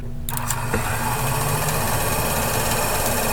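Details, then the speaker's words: AMC Javelin heater box, blower fan bench-powered from battery charger: steady buzzing whir with uneven rattle, possibly debris inside, sounds better after blowing some out. Noisy heater blower fan. "sounds like there might be some crap stuck in there actually sounds better it blew some stuff out"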